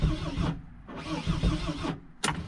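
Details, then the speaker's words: Mercedes Sprinter diesel starter motor failing: churns in uneven bursts that stop and restart with gaps, never catching, despite good battery and 200 amps supplied; weak, failing starter. "Wow, that's not good. My starter seems to be malfunctioning. So you're kind of like wondering, like, what's going on here? Is this a dead battery?"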